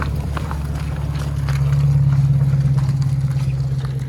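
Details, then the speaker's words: Slammed (lowered) Toyota Celsior: a low droning scuff pulsing about three times a second as it rolls slowly, like the front tire rubbing something each turn. They suspect plastic; the front was later lifted as the fix. "Go full lock the other way. The other way is fine. It's just... Oh, this side's rubbing good."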